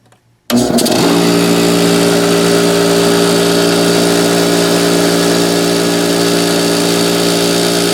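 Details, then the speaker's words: 1974 HydroTherm gas-fired hydronic boiler system, yearly start-up: an old Coleman 6-gallon air compressor kicks on, loud steady hum with a buzzy vibration over the pump beat; cause of the vibration unknown. "Vibrating sound goes away, it should be good. I don't know what it is."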